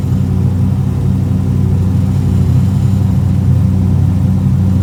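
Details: BMW E34 with LS3 V8, first start during rebuild three years after an accident, still warming up: deep steady rumble with even beat, no knocks or misses; idles smoothly.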